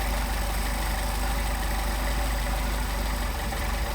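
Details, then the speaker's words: Mercedes 190SL with Solex 44PHH carburetors idling around 550–575 rpm while idle mixture screws are adjusted: deep, even rumble sags as mixture goes too lean, then picks back up about 100 rpm. "See, we're dropping off. Now we're coming back out, picking up our idle. We want our best idle speed."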